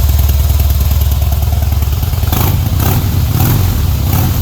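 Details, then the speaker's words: 2008 Harley-Davidson Heritage Softail Classic, stock with Screaming Eagle, 6-speed: deep uneven V-twin lope at idle with light throttle blips, muffled exhaust, no knocking or rattling; healthy. "retains that dark, deep Harley sound, but it is muffled a little bit, so it's not going to wake the neighbors up and freak anyone out."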